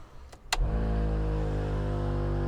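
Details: Nissan GQ Patrol ARB air locker compressor after dash switch rewiring: click as it kicks in, then steady even motor hum at constant pitch while charging; running normally.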